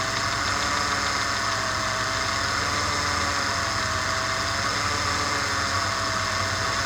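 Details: Idle with a steady sharp metallic knock every revolution from deep in the block: rod knock from an unscrewed (loose) connecting rod.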